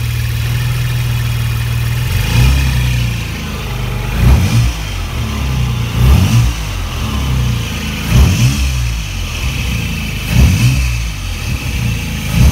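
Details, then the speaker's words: RHD JDM 1993 Nissan 300ZX Twin Turbo, warming up after fitting a cold air intake: repeated revs about every two seconds, each followed by a brief airy whoosh as it drops back; diverter valves venting normally, healthy. "do you hear the the diverters blasting off a little bit down there now probably a lot louder up here"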